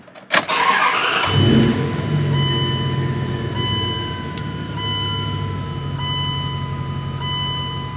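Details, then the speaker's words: 2000 Dodge Ram 1500 5.9L, no stored or active codes, previously unfixed by another shop: a sharp pop, then a steady low cranking drone that never catches, with chime tones; cranks but won't start. "got a just pop pop now it's nothing but a stinking liar"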